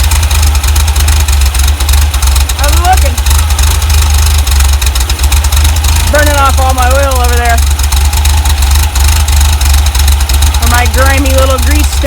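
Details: 1967 VW double cab air-cooled flat-four, after a distributor O-ring replacement for an oil leak: steady low even rumble, no misses or knocks, under music; smooth normal idle.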